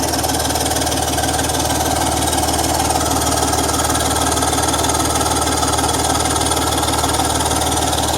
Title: BMW M54 Exhaust Leak noise!